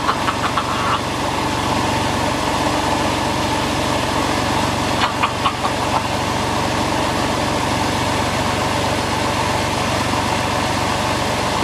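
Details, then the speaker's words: Porsche 911 996 C4S flat-six idling after replacing power steering pump, alternator and starter: even busy idle with steady valvetrain chatter, no pump whine or noisy rotating parts; starter cranked noticeably faster, power steering still needs bleeding. "so far no coolant leak no noise and you'll notice when it turned over on the starter motor it was a lot faster so it obviously needed that new starter motor as well"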